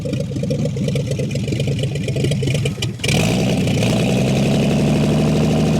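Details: 1959 Chevy Biscayne that sat years in a salvage yard, revived after point cleaning, idle screw just backed out two to three turns; after a brief dip it settles into a steady low burble with no misses or knocks; normal idle.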